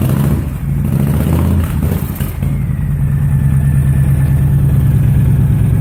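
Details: 2005 Honda VTX with Cobra slip-ons and newly fitted air intake, cold start: catches and settles into a lumpy, steady low idle with even pulses, no knocks or rattles. Healthy; carb to be fine tuned once warm.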